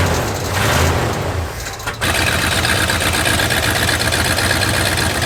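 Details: Lifted bullnose Ford carbureted truck, first start after sitting almost 4 years, carburetor just cleaned and rebuilt: quiet cranking for two seconds, then catches and settles into a steady, even run; normal start and idle.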